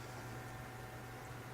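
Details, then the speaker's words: PC case fans slowed by a Phobya splitter fix after running too loudly at 100%, heard with the side panels off; a soft, steady low hum with an even airy hiss and no ticking or rattle; running slowly and quietly as intended. "you got a good view of the fans y turn it on they are slow aren't they"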